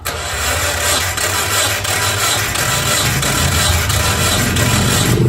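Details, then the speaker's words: Storage-unit Mazda Miata, long unrun: even starter cranking about three beats a second, no cylinder catching; compression readings about 90–171 acceptable, but no spark and probably bad fuel. "so we got compression and they just don't talk too bad we just don't have spark and we probably a bad fuel"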